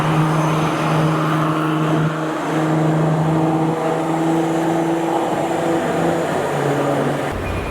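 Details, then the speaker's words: Car cruising on the road in Japan with a steady low whine at constant pitch over engine and road noise, sounding almost like a supercharger; source not pinned down. "So we're hearing like a little whine coming from this car. We're like, it almost sounds like this thing is supercharged. Yeah, you can hear the little whine."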